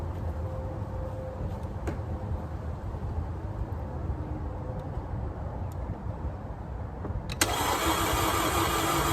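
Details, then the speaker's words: 2011 Audi Q5, 2.0T four-cylinder, 88,000 miles, suspected timing chain jump (P0016 cam/crank correlation): starter spins the engine unusually fast and even with no compression pulses, a rotational ringing, then catches or revs at the end; jumped valve timing. "Now, if you'll notice, it went ring, ring, ring, ring, ring, ring, ring, ring, ring. It was a fast spin. It was the rotational noise"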